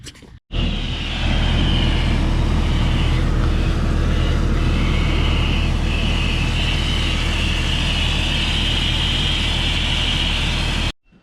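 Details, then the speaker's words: 2001 Jeep Cherokee XJ 4.0L at a rough idle after a new part was installed, with a steady high hiss still present. The vacuum leak is suspected to come from a hose being removed for inspection. "i-i've definitely still got a leak and it sounds like it's coming from this hose here let me take that off and just inspect the hose"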